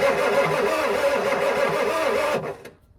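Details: Old Ford turbo diesel truck that sat for years, cranking while bleeding fuel: starter churns about four times a second with no firing, then drops off; cranks but won't start.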